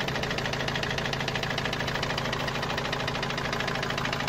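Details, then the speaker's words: Opel Vivaro 2.5 diesel, noise appeared suddenly while driving loaded, van parked two to three weeks: hard, even hammer-like knock about three times a second over the idle; source unknown. "وهذا الصوت ما عم نعرف منين الصراحة، صوت مثل المطرقة يعني."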